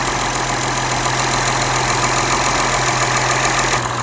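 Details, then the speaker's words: Acura TL (4th gen) at idle after coolant line delete, nothing connected to throttle body: steady idle with constant airy hiss, no pitch change; no visible leaks, owner suspects a vacuum leak, smoke test needed to confirm. "But I don't know if you guys can hear that, but I do hear hissing from"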